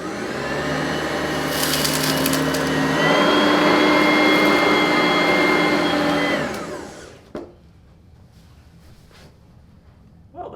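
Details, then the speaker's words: Oreck Elevate Conquer UK30300 bag vacuum recorded with a studio microphone during a pickup test: even high whirr at steady pitch for six seconds, then smooth spin-down at switch-off; healthy running. "As you may have noticed, we've switched to a studio microphone so you can hear the real sound of the machine as it runs."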